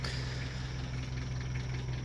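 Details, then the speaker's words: 1991 Nissan D21 ute, 491,000 km: steady idle with light fast metallic clatter on top; severely worn single-row cam chain rattling. "it rattles that is that is cam chain noise you can hear it's got single row cam chain in this one"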